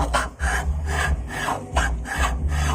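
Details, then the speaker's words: Soybean (tofu) stone grinder being adjusted after V-belt change, hand-turned: slow heavy rasping strokes about twice a second, stones scraping because the gap is still too tight and rotation feels heavy; too tight heats the soy milk, then lock the adjuster. "Nah, itu teman-teman mepet ya, dan juga putarannya pun agak berat."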